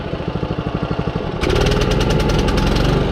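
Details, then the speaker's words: John Deere 14SB push mower, single-cylinder, after carburetor adjustments: putters evenly at about 3.5 beats a second, then labours and bogs as load comes on. Owner wonders if it is running out of fuel; not confirmed. "See, it still does that. I wonder if it is running out of fuel."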